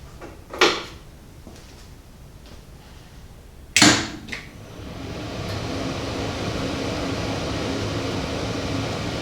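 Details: 1965-74 Monarch Merit lathe (16" swing, 42" centers) after converting original non-working DC drive to AC drive and cleaning and oiling; two knocks then motor and added cooling fan spin up to a steady even whir, running healthy.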